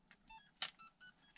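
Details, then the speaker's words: Hobby Plus CR-18P crawler ESC with the FCX24-type radio; quiet run of short distinct beeps at stepped pitches over about 1.5 seconds, ESC initialized and arming normally. "it initialized so that way it does work"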